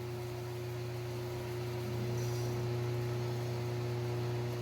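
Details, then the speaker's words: 1995 Harbor Breeze Summit ceiling fan with lit motor housing on medium, its loudest speed: steady low hum with strong buzzing drone and throb, whole fan vibrating, bulb filaments dancing; excessive vibration. "vibrates a whole bunch every part of the same vibrating I have a feeling that one of these lightbulbs will go out"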